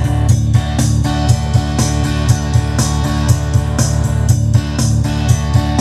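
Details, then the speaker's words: Yamaha PSR-S750 keyboard after component replacement, previously rumbling/noisy audio after diesel exposure at a carnival parade; now clean, even playback with steady beat and clear bass, no rumble or distortion; normal audio output after repair. "Ini sudah nggak trouble lagi sekarang. Kita coba."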